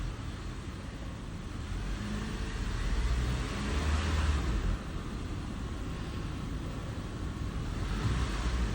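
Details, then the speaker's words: 2015 Honda CR-V 2.4L AWD that rattled when cold, blamed on low/dirty oil affecting VVT parts; after the fix, light throttle blips through park, reverse and drive give an even rumble with no rattle, in cold weather before a warm-up drive. "all right we are getting no more rattle I'm going to take it for a test drive and just just make sure get it warm"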